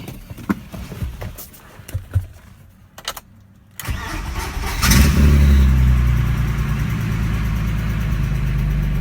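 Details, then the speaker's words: BMW E30 with S50 engine, first start after reassembly and coolant refill: cranks, catches and revs, then idles with a light, quick, regular ticking, plus lots of VANOS noise. Sticky lifter suspected, not confirmed. "Sounds like it still has a sticky lifter or something. There we go. Lots of Vanos noise too."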